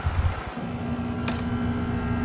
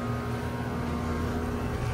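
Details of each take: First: 2025 Trane XR14 1.5-ton heat pump, February 2025, recently started up: quiet steady low hum with faint even tone and fan rush, no rattles or strain; running normally. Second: 2018 2-ton Goodman GSZ14 heat pump: condenser fan whoosh and steady drone with no compressor hum. The compressor is not running and sounds weak when it tries to start, not on thermal overload, and the suction line is not cold; the cause is unknown.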